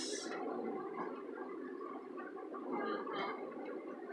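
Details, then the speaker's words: 2014 Hyundai car creeping through deep flood water, up to about four feet: bubbling, irregular motorboat-like gurgle as the exhaust pushes out through the water. The car kept running without stalling and took no damage. "Oh the car so pissed off it sounds like a motorboat with good reason because it is"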